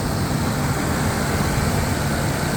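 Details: Mercedes-Benz W124 with a 1JZ distributor engine after replacing the water-damaged ECU: starts at once and idles with a steady, even rumble, no stumbles or hunting.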